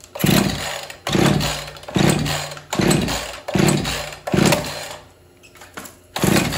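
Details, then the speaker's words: Husqvarna 445 two-stroke chainsaw unused for over 10 years, first start attempt: revs up in short bursts about once a second then sags and nearly dies, won't hold throttle. "oh seems like it needs a little more throttle but it won't stay locked in it's kind of weird"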